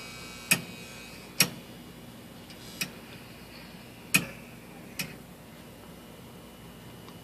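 Sharp, irregular ticks about once a second over a quiet room with hardly any hum; a furnace ticking whose cause isn't clear.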